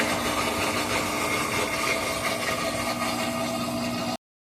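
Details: Whirlpool WTW4816FW3 top-load washer bought 2023, control board replaced three times, not switched on, no lights or water: continuous droning hum with a rough gritty rattle. The motor runs on its own with no cycle started, for over an hour.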